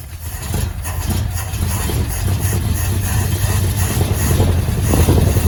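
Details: Early-70s four-door Chevy Nova, 307ci small-block V8 with rebuilt 2-barrel Rochester, long-tube headers and Cherry Bomb glasspacks, first start after 34 years sitting, new plugs and fluids. A rough but steady burble with loud exhaust, no knocks, 50 psi oil pressure: normal idle.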